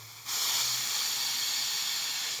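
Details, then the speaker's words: Loosening the factory nitrogen valve on the small line of a new split air conditioner before installation: a sharp, steady hiss of about two seconds as factory nitrogen escapes, showing the unit arrived pressurized with no leak. "Ahora, cuando yo afloje tenemos que escuchar un ruido que es el nitrógeno saliendo de adentro de la unidad. Se escucha perfecto."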